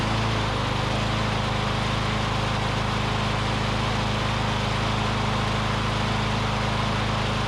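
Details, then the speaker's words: Briggs & Stratton Classic engine on a curbside-rescue push mower, revived and running on its own fuel, oil sizzling off muffler; steady, even drone with no surging or misses; a smooth, healthy runner. "uh this is a real smooth runner though that's great"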